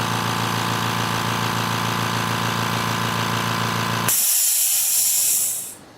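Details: Air compressor: fast, even chatter of the pump running steadily for about four seconds, then it cuts out with a hiss of air; normal compressor operation.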